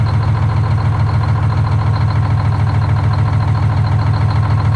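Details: Detroit Diesel 6-71 in a 4104 bus after coolant-in-oil repair, fresh oil filter, in neutral being warmed up: deep steady idle about three and a half pulses a second, no misses or knocks.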